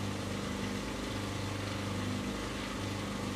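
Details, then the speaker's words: Dishwasher under repair with its wiring exposed: at start of cycle the sump drain pump runs first to empty the sump, a steady even low hum with a constant tone and no knocks or grinding; normal drain pump operation. "okay so the first thing we should hear is the sump draining because it will always try and empty and make sure it's clean before it starts so that's that sump pump running to drain"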